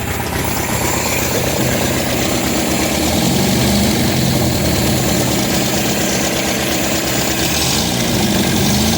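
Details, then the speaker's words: 1972 MGB with SU HIF44 carburetors just synced and idle lowered from 1400 to about 1000 rpm after an oil change: steady, even, smooth idle with no misses, hunting or knocks; normal idle. "About 1K on the RPMs. That's pretty good. It's pretty smooth."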